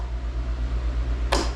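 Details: Craftsman GTS5000 lawn tractor with a Kohler engine, after a bad PTO switch was found: steady low engine hum, then one sharp clack as the electric PTO clutch pulls in; the PTO itself is also suspected bad. Normal PTO clutch engagement.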